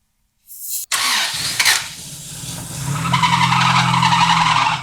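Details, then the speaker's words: 1987 Honda Civic Wagon RT4WD after years sitting, starter fluid sprayed into cleaned carburetor: short crank, then it catches and runs unevenly a few seconds with hissy top end; belt not turning, something seized. "So it did start, that's a good sign. And there was no fire."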